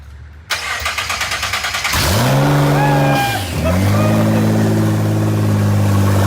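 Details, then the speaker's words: Rebuilt wrecked 2024 Nissan GT-R first-ever start with no downpipes fitted, cooling system installed; starter cranks about three and a half beats a second, fires, blips, turbos spool, settles into smooth loud idle: normal first start. "a quick little start with no headers dude or no down pipes no down pipes did you hear those turbos dude they started spooling but dude it fired right here"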